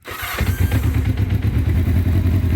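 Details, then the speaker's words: 1984 Honda CB700SC Nighthawk, recently worked on elsewhere and not running properly: at half choke only a couple of cylinders seem to fire, giving a lumpy, uneven low thumping with irregular pulses; it won't run without choke. Misfire, cause not yet diagnosed. "sounds like a couple cylinders are firing [Applause] that's half choke and you saw it won't run without the choke yet"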